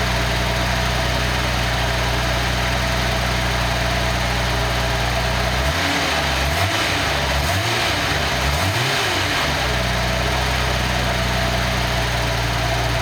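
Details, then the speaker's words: Nissan 280ZX turbo engine on a test stand running on the existing ECU to confirm the setup works: catches and settles into an even steady idle with a smooth low hum, no knocks or misses; normal idle. "we will start make sure everything's working with the test set up"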